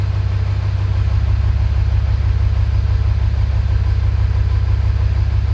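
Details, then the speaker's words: 2000 Ford F-350 7.3 Powerstroke diesel at 567,000 km, idling cold after a hard cold start with glow plugs cycled: a low, lumpy beat about three times a second. Rough idle, cylinders firing unevenly; cause not yet confirmed by testing. "so that's not too bad right you could hear it's running rough so let's do a quick cylinder contribution"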